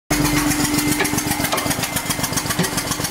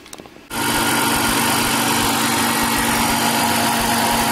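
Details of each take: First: 1999 BMW E46 323i, M52TU engine, spark plug blown out of number two cylinder stripping aluminum head threads, running without plug: loud sharp puffing pops each firing over rough idle; compression leak. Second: 1999 BMW E46 323i, M52TU engine, after TimeSert repair of blown-out number two spark plug thread and even compression test: catches instantly, smooth, even idle with steady hum, no knocks or misses; normal idle.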